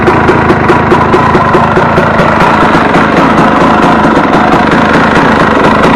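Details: Warm KTM 250 EXC two-stroke on 40 pilot jet, idle lifted slightly: loud crackly idle that won't settle and wanders, running away; owner says it's too lean, hanging idle.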